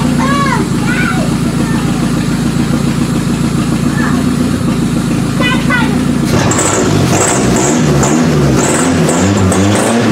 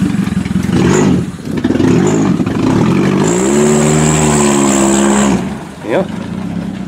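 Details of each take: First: Toyota Camry demolition derby car on limited wiring, power jumped to the computer after an electrical no-start: runs steadily but rough at idle in park, then turns uneven about six seconds in. Engine hesitation. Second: Toyota Camry demolition derby car, previously not starting from an electrical fault, run after powering the computer directly on limited wiring; engine note climbs cleanly under full throttle kicking dirt, no hesitation, healthy acceleration.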